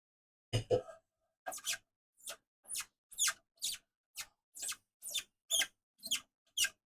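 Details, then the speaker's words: Squeaking winding mechanism: short, sharp squeaks about twice a second, one after each winding stroke, in a quiet room; owner suspects a missing anti-friction washer, unconfirmed. "Alors à savoir qu'on l'entend grincer mais plus j'y pense plus je me dis mais en fait il me manque la rondelle antifrixtion qui est censée avoir."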